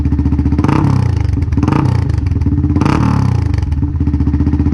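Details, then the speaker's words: 1999 Yamaha XT225 single, about 20k miles, run without the spark-arrestor tailpipe cover; the rusted-out exhaust gives a harsh, loud, raw bark that rises and falls with throttle blips. "if you remember from my video where my tailpipes just rusted out I don't have any of that that's probably why it's so loud"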